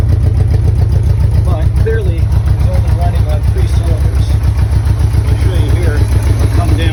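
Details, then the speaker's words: 1984 Honda Goldwing Aspencade, off the road since about 2016, cold-started on choke. Uneven pulsing idle with one beat dropping out each cycle; running on three cylinders, one exhaust pipe stays cold, cause unconfirmed. "you had a chance to see it running definitely on three cylinders as you can hear and eventually you'll just stop on it"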